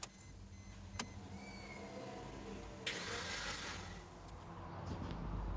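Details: Suzuki engine that overheated, stalled while running and wouldn't restart; spark plugs and coils fitted after finding worn plugs and oiled coil boots: fast, even cranking, no compression pulses, never fires; head gasket blown by overheating.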